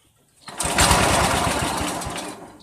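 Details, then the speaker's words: Old Dynamark Briggs & Stratton single-cylinder riding mower, sat outside a year, tried without choke: fires rough and uneven a couple of seconds then quits; owner says crud still in the carburettor, plans to clean jets; spark plug never changed. "well obviously it still got some crud in it I'm sure if I choked it real hard put the air cleaner back on I can keep it running"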